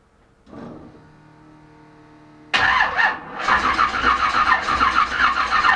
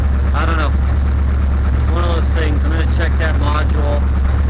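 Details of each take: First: Chevelle that wouldn't start, after cleaning spark plugs: starter churns at about three pulses a second but engine never fires; no spark seen, owner suspects ignition module; crank no start. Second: Chevelle after a no-start, spark plugs cleaned and a loose ignition module connector replaced with an original GM one, warming up: low steady idle rumble, smooth with no misses or stumbles; healthy.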